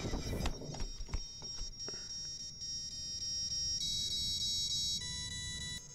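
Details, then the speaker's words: FPV quad with a suspected bad PID tune: after the motor noise fades, a rising series of clean stepped beeps plays, the ESC startup tune, showing the ESC fully rebooted in flight. "okay now what's that sound that's not the standard startup sound okay so that was the startup music from the esc so the esc had a full reboot"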